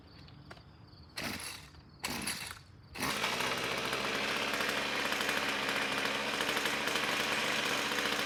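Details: Ryobi string trimmer, about four years old, pulled from trash, two-stroke with rebuilt air box: two pull-start rasps, then it fires and holds a steady high buzzing run without sputtering; runs healthy.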